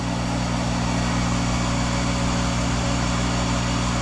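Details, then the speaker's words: Monarch 10EE lathe, 5 hp thyratron vacuum-tube DC variable-speed drive, warm-up after sitting two months; spindle running in reverse at 800 RPM, described as smooth precision. Constant hum, steady tones, no knocks or grinding. Normal spindle running. "running at 800 RPM isn't that slick"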